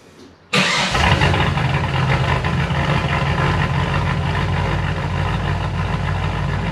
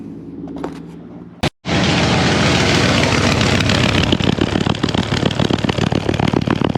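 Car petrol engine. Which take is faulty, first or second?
second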